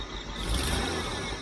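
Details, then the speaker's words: Jeep CJ-7 with aftermarket fuel injection, timing just set to about 10–12° (was 6°), belt squeaking slightly: quick throttle blip swells then hesitates and flattens before recovering, the long-standing tip-in stumble. "feel that stumble that has always been there with this fuel injection always"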